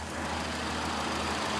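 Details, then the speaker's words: 2014 Ford Explorer Police Interceptor AWD, 3.7 L V6, 63,000 miles: uneven lumpy idle with engine shaking, unresponsive accelerator, limp mode, flashing check engine light; rough idle, cause unconfirmed. "The engine is steady shaking. It's got a very rough idle and the accelerator appears to uh not be responsive."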